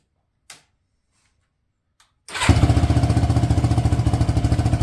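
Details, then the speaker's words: 2006 Yamaha YFZ450 single after restoration and rebuild, fresh gasoline, first start; a couple of soft clicks, then it fires and settles into an even, quick thumping idle, no smoke or rattle: running healthy. "smoke not even rattling anymore"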